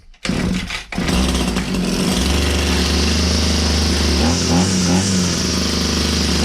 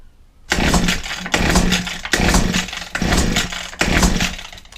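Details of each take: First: Old Husqvarna 22R strimmer scrap find, choked and pull-started: a couple of coughs, then catches and settles into a steady, even buzzing run; fully runs. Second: Old Husqvarna 22R two-stroke strimmer, first start attempt with choke, throttle open and fuel sprayed into the carburetor throat: five rasping recoil pulls, compression present but never catches; no-start, spark uncertain.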